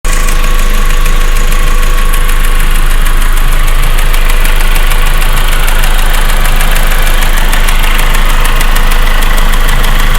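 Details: 1.8T engine at cold idle: quick even tick close to four a second over engine hum, getting quieter after a few minutes and gone when warm; cold start ticking.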